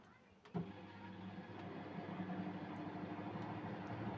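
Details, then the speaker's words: Mirta MW-2501W microwave that doesn't heat, timer set to 3 minutes: a click, then a loud, steady low transformer drone with no heating; the light is on, so the door microswitches and timer are ruled out. Shorted high-voltage diode. "Як чуєте, вона гуде. А якщо вона гуде, отже, зразу відкидаємо, що несправні мікрики ось ці, що тута стоять."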